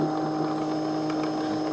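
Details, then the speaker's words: Old jointer after repairing a self-made dead short in the wiring: motor runs with a smooth, steady electric hum of constant pitch, no grinding, rattle or bearing noise; motor healthy, though the switch is bad. "But that motor's running good. Hear that thing running?"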